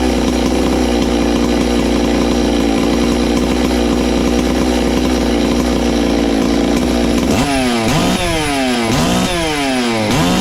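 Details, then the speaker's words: Ported Farmertec MS660 two-stroke chainsaw, 22 degrees blowdown, extra muffler cover port added, tuned with tach: hard steady full-throttle scream then crisp rising and falling revs, much louder, over 15 thousand rpm. "wow it's got a lot louder hopefully we've done something wow"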